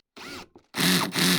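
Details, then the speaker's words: Cordless drill/driver with slip clutch torque settings 1 to about 15, set low: short bursts of rapid ratcheting buzz while the motor keeps spinning but the screw isn't driven; clutch slipping as designed. "That's what the slip clutch does. It's slipping, so the motor continues to run, but it doesn't drive the screw."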